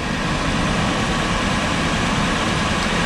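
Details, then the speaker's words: Car running, wheel bearing checked with a stethoscope: steady, even hiss and low hum with no grinding, growl or rhythmic knock; this bearing sounds fine. "a este al parecer el balero se escucha bien"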